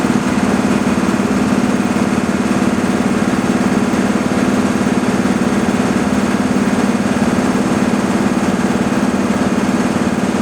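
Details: Breathing-air compressor filling the high storage bank first, pressure climbing: steady, even piston chug at about three beats a second with a firm low hum, no knocks or hiss. Normal running.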